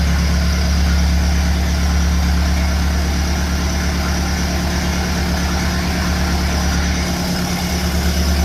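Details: Engine on a cold day fitted with a 1956 Lucas D3A4 distributor, run briefly with no radiator or coolant; steady, even low drone pulsing near three a second, running smoothly with no misfire or knock.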